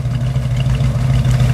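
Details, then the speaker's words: Original-condition 1976 Ford Bronco V8, no smoke: smooth, even low burble at idle with steady pitch and no knocks or misses; idles healthy. "but there's no smoke it just I just can't get over this little Bronco even sounds good"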